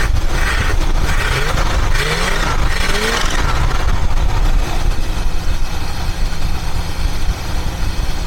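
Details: 1976 Mercury Marquis, revived after a no-spark no-start fault; stalled earlier at too-low idle: deep rumble briefly picks up revs, then settles into a steady, even idle with no stumbling.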